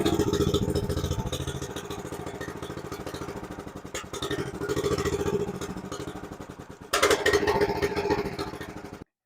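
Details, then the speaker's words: 2005 Chuck Wagon 4x4 UTV, Honda GX390 single-cylinder with new carburetor and number 100 main jet: uneven, lumpy idle thump with stumbles, coughing, then a rev burst before stalling; lacks power and keeps stalling, idle unresolved. "I'm still struggling a little bit with the idle carburetor so we're still struggling here the engine is still coughing"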